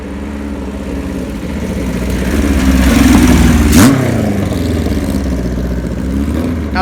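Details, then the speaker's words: 1976 Kawasaki KZ900A engine, not rebuilt, with a new cam chain (the old one was loose and noisy), new gaskets, clutch and stator gone through, and small test carbs fitted; it smokes slightly. Revs smoothly with no ticking or chain slap. Normal running. "well we did was just put a cam chain in it and the gaskets and there's no motor noise or anything like that"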